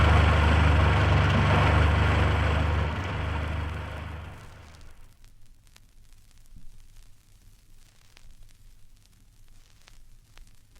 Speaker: Tapets which clatter have been left with too much clearance. Here is the sound of one tapet badly adjusted. Band two and still on tapets. Here's a fine set of faulty tapets on a four-cylinder engine, followed immediately by the same engine with its tapets correctly adjusted.